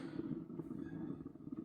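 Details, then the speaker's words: Tannoy SFX5.1 subwoofer, mains-powered, no output from line input: constant low hollow whooshing hiss, no signal playing; once occasional, now continuous; failed capacitors in the amplifier suspected. "But apparently it used to make these occasional kind of whooshy noises that I'm sort of hearing in the background."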